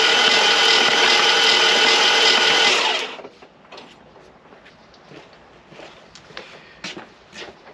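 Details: Flood-damaged classic car, after cleaning the battery terminals, earth and starter cables: the starter churns quickly and evenly at about 220 turns a minute for three seconds, but the engine never fires even though it has spark; cause unconfirmed.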